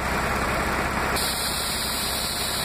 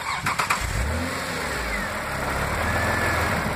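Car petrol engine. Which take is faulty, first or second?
second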